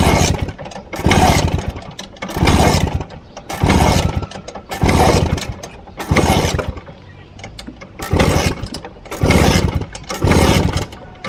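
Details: Vespa VBB 1963 scooter, warm: about ten quick start attempts, each a short rough burst of cranking dying without catching; won't start once warmed up, also rattles at idle.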